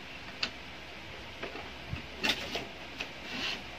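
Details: Brother DCP-L2540DW laser printer (similar MFC-L2700/L2740DW) running: irregular light clicks and ticks every half second or so over a quiet hum; gear noise problem, slipping or worn drive gear suspected, not confirmed.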